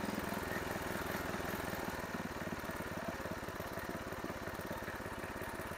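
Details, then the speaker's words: Craftsman 5 HP tiller, Briggs & Stratton horizontal-shaft engine, after swapping in a second new fixed-jet carburetor to cure pulsing; small single-cylinder thumps evenly at about 3.5 beats a second, no surging or pulsing, running smooth. "well that sounds pretty good well as you can see we don't have any pulsing now"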